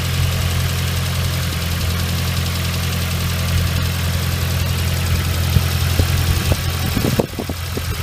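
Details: Nissan RS13 with CA18DET engine idling after a cold start: steady low rumble with faint irregular light ticks; owner unsure whether hydraulic lifters or something else, and the noise disappears once the engine is fully warm.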